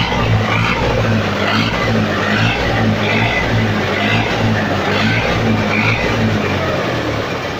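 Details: Massey Ferguson 275 tractor diesel with the old exhaust and blown-out muffler, before replacement: a loud, raw bark with a deep steady throb and no muffling.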